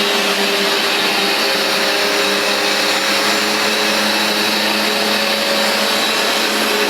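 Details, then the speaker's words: Vax Dual Power Total Home carpet washer, new replacement unit, cleaning a very dirty new rug: loud even suction-motor roar with steady whine plus brushbar noise, no surging or rattles; suction motor and brushes running normally. "it really is efficient at beating and sweeping the carpet you can hear the noise it makes in addition to the sound of the suction motor the noise of the brushes really grooming the pile and getting deep down"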